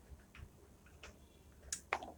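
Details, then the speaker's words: Lamination machine with a no-heating fault, powered up after repair, heater continuity checked OK: a few sharp, distinct clicks in a quiet room as the relay pulls in; normal relay clicking, relay switching properly. "Relay की आवाज आ रही है आप थोड़ा सा सुनना ध्यान लगा कर दो है यह देखिए अब कि यह आवाज आ रही है"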